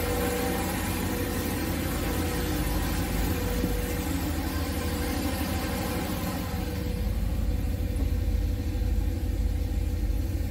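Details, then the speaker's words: Boosted 408 cu in LS V8 on its third start with LBI 100 lb/hr EV14 injectors, coolant now circulating at 200°F, oil pressure 33: deep, steady idle with an even, lumpy exhaust pulse, no knocks or misses; normal idle. "okay guys so it looks like it's running pretty good uh the coolant has finally circulated in the engine so that's good"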